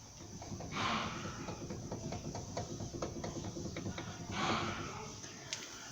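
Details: Brake caliper rocked by hand: light, uneven metallic clicks as a worn guide pin and its bore let the caliper knock, a noise often mistaken for a suspension fault.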